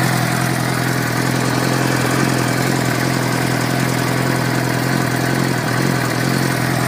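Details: 2006 Suzuki GSX-R 600 at idle: busy four-cylinder note with a faint, fairly regular light tick riding on top; source of the ticking unknown.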